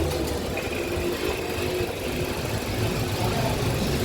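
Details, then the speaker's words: Idling after clutch disc, release bearing and clutch cover replacement, which fixed a cold-start rattle that faded when warm: smooth steady idle with an even low hum and no rattle; clutch side quiet and healthy. "Okay na, tahimik na. Sana wala na yan. Salamat, Dadods. Tahimik ang makina ko."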